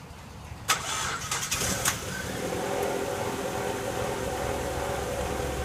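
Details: 2002 Mazda 626 2.3L started right after alternator replacement, belt tensioned, battery reconnected; brief starter whir, the engine catches, then settles into a smooth steady idle with an even low hum; normal start and idle.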